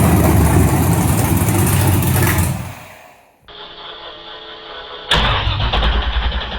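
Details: Newly built 6.2L L86 Gen V LT V8, Holley Terminator X EFI, BTR 225 cam, first start with coolant, open headers, no O2 sensor: cranks, catches and settles into loud steady run, no misfire or knock; healthy start.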